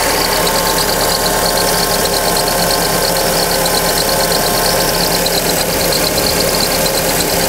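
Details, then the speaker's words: Fiat Fire-engine car (Siena/Palio type) at cold idle: fast, uneven high chirping over the engine from the slipping small power steering belt. "esse barulhinho V incomodando aí muitos donos e de Siena Palio vários carros equipados aí com motores Fire troca correia de acessórios e mesmo assim o barulho volta depois"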